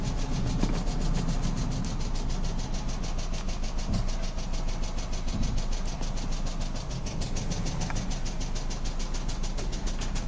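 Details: 2009 Pontiac Vibe 2.4 petrol engine idling before engine replacement: deep, steady knock underneath, from a worn rod bearing.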